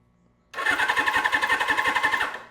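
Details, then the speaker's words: Suzuki GS750 motorcycle with carburetors removed: starter spins the engine over in a steady rhythmic chug, about seven compression pulses a second, without firing, as expected; engine turns over. "Yes. Yes. The engine turns over."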